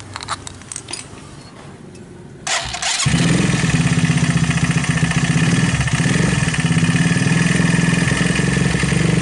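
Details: Viar 150 cc motorcycle starting and idling with a steady rhythmic knock about three per second from the engine; valve noise is also mentioned.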